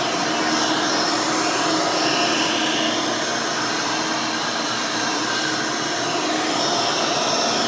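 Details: Rebuilt Hoover Elite 600 upright vacuum with new 7 amp motor and 20-blade fan running; steady, smooth high-pitched motor and fan rush, no knocks, rattles or wavering; fairly quiet, like the original 6 amp, normal.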